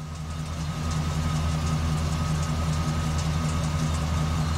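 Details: 2005 Chevy Express G2500 van, code P0300, customer already replaced plugs and wires, long-term fuel trim lean: a low idle with an uneven, lumpy pulse of about two to three beats a second; rough idle misfire, vacuum leak suspected.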